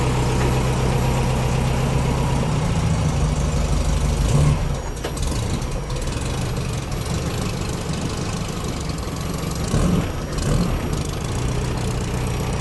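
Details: Air-cooled VW Baja Bug engine, rebuilt top end on spare long block, restarted after oil change and valve adjustment with silicone gaskets: even low idle with steady beat, no misses or stumbles, running normally.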